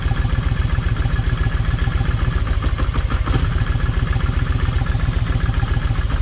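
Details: Kawasaki Vulcan 1600 V-twin, deep lumpy idle with skipped pulses, one cylinder dropping out; left cylinder's plug stays wet. Owner removes a plug wire to tell bad coil from bad plug wire; no change heard.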